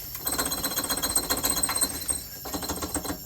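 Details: Ford Ranger parking brake cable distribution box, months-long annoying noise: quick irregular dry tapping about four per second in bursts; junction box rattle, eliminated by lubricating it.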